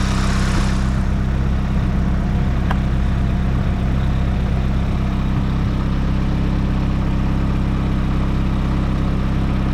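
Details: Nissan S15 SR20 with Garrett T28 turbo, after turbo gasket replacement following a track day: steady, even low idle, smooth and quiet, no exhaust puffing or ticking; exhaust leak gone, sounds normal.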